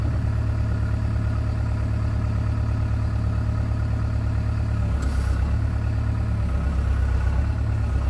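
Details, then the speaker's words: John Deere 490E excavator with Hitachi hydraulic pump, computer bypassed to straight throttle and hydraulics: deep steady diesel idle drops and roughens as hydraulics bind up and drag the engine down, before limp-mode fix. "but when you go to dig you have to be real sensitive on it or the hydraulics will kind of bind up and want to choke the motor down"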